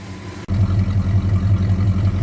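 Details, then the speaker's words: 1968 Ford XL convertible, stock two-barrel 390 V8 with mild stock cam, after exhaust manifold repair: deep, even burble at idle after startup, steady lope with no ticking or puffing from manifold; sounds healthy. "even sounds pretty good for a stock two barrel 390 with a broomstick for a camshaft"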